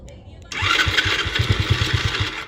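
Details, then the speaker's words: $100 50cc kid's quad bought sight unseen barks to life on the start button for about two seconds of uneven popping, then dies; the carburetor will be removed and cleaned. "There you go. We heard it run a little bit. Okay, I think our next bet is going to be to take that carburetor off and we will get it cleaned up."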